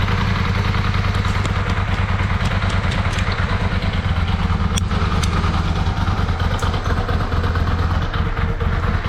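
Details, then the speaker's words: Yamaha Virago 535 V-twin on stand after carburetor rebuild kit, bigger jets and gas-leak fix, previously running on one cylinder: even, steady low idle thump on both cylinders, no misses; more throttle response, normal idle. "And she feels way better too. Like already I can feel there's more throttle response."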